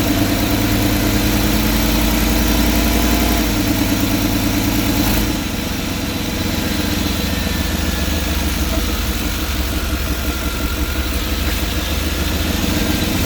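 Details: 5.7-liter TBI V8 at idle with the interior engine cover removed: louder than normal, with a sharp, rapid puffing tick in time with the firing pulses from an exhaust leak somewhere in the engine compartment.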